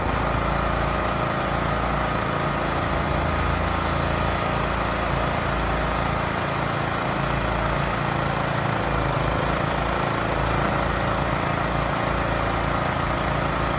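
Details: Honda EX1000 generator after carburetor cleaning fixed fuel leak and no-start, test run with air cover off: steady, even engine drone at one speed, no misses, surging or knocks; running cleanly.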